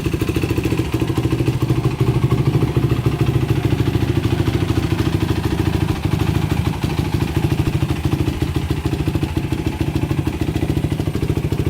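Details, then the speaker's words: 2006 Yamaha YFZ450 quad after sitting 3 days, cold start: the single cylinder fires right up to a steady, even, healthy idle with no smoke while cold. It smokes slightly on throttle; the owner suspects rings and valve seals. "I was thinking it was going to be smoking like a lot, but as you can see, it's cold right now, not smoking. Started right up."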